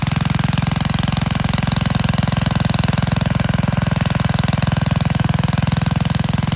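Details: Vintage Gravely Model L garden tractor with Jenkins overhead-valve conversion, bought at estate auction, running after only cleaning points and adding gas: crisp, even single-cylinder thumping at about three and a half beats a second, perfectly steady; healthy engine.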